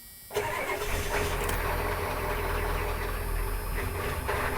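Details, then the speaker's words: 1991 Ford Econoline 350 7.3 IDI diesel camper van, about 90k miles, mild cold start after two weeks sitting: cranks and catches roughly, uneven stumbling rumble; hard start sputtering, owner suspects fuel lost pressure since last run. "Sputter, sputter. So it tends to do that. I believe the fuel pressurizes from the last start and run, and it kind of gobbles that fuel up, and it'll take a while for it to repressurize."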